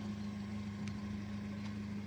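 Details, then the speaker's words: 2003 Toyota Kijang LGX 1.8 EFI, petrol, manual: a quiet, even low idle hum with no knocks, misses or ticks, and the engine mounts are still smooth with no vibration. Normal idle. "Engine mounting juga masih halus, tidak ada getarannya."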